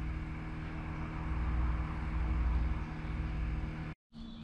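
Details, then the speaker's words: BMW F11 rear air suspension after replacing a porous, pressure-leaking air spring, ignition on: steady low electric hum of constant pitch as the compressor refills the spring over a minute or two; normal compressor operation. "je mets le contact là en entendant compresseur je pars si vous entendez là barak en présérie gonfle"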